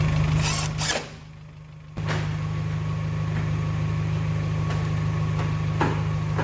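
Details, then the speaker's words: Geo Tracker after replacing the camshaft and crankshaft seals, water pump, timing belt and timing cover to fix oil leaks. A warming-up idle: a steady low hum with a brief dip and no ticking, rattle or belt squeal. "the new uh timing cover looks really good on there everything's running in order"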